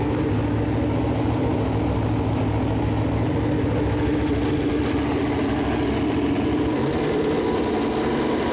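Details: Chevrolet Performance 454 big-block V8, fresh engine build on a run-in stand, first fire-up with header paint burning off: deep, even idle with a steady rumble that lifts cleanly when revved, no knocks or ticks; temperature around 190, oil pressure good; normal idle and revving.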